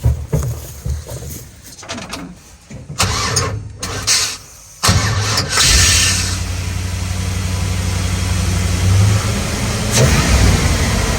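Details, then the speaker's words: 6L LS-swapped Unimog 404 cranks, catches and settles into a steady V8 idle after topping up with gasoline; now running on the reserve tank. "Whatever it was, more gasoline fixed it. So we're on reserve tank."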